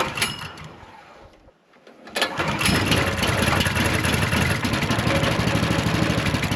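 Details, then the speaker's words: Ridgid RD80770 3800 PSI 4 GPM pressure washer, customer reported smoking and long unused, fresh oil and gas, choke on, pump dry: weak pulls then catches and settles into steady even idle; starts. "Did fire right up. Um whether or not it's going to run good or not is uh to be determined"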